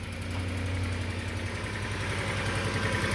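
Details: Cold start of a 2004 Ford F150 with 220,000 miles, running 5W30 full synthetic, after sitting two weeks: quick, somewhat irregular light ticking over the idle rumble, heard as exhaust leaks that should quiet down.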